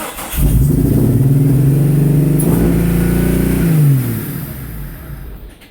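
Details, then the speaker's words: 1999 Jeep Cherokee XJ, first start after 7 months of repairs including a 63mm bored throttle body with custom butterfly: rough, far-too-high idle with a lumpy burble; owner suspects firing order, later guesses the butterfly valve. "yeah I don't like that one bit so the idle is way too high there's a little bit of a burble in there I'm not sure what that's all about"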